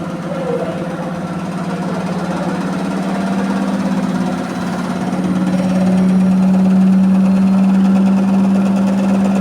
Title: Washing machine Electrolux 15kg comercial washer bad squeaking noise on final spin 1245rpm